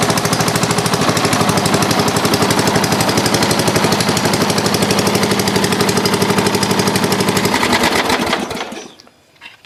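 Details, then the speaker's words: Dynamark riding lawn mower after the carburetor was cleaned of green gunk: the small single-cylinder engine fires and holds a steady, even fast putter of about four beats a second, then shuts off cleanly; normal running. "perfect I was worried there for a second but looks like it runs fires up"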